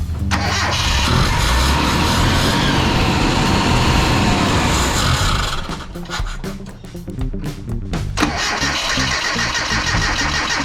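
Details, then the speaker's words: Mitsubishi Sigma after replacing failed Mikuni carburettor with 32/36 Weber and fixing water in intake: engine catches, runs a few seconds, then falters and stumbles before picking up; starts dying but runs on brake cleaner, suspected fuel starvation, stalling after start. "It sounds like it's not getting enough fuel because it starts dying. When I put the brake cleaner in, it runs."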